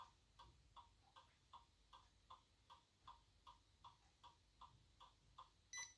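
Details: iPod whose hard drive was opened and its heads moved back into place, now with many bad sectors. An even train of short, high-pitched, microwave-like beeps, about 2.5 per second, in a quiet room: the iPod is in DFU mode.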